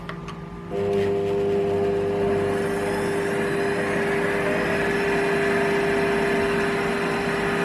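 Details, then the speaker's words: Lathe motor after replacing the speed potentiometer with a 500-ohm pot wired in series: spins up and holds a clean, steady, even hum at maximum speed with no ticks or rubbing; normal. "But anyway, so now I'm getting the sort of maximum speed I was after."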